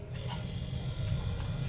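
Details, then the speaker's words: One-door refrigerator not cooling though its light works, after fixing the power outlet connection; compressor starts and runs with a low, steady hum, no clicking or cutting out. "Nah ini sudah nyala teman-teman ya. Jadi mesin kompresornya sudah nyala."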